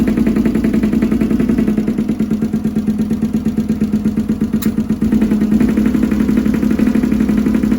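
Lumpy, uneven idle with a stumbling beat and dropped pulses, about three a second; one cylinder is misfiring.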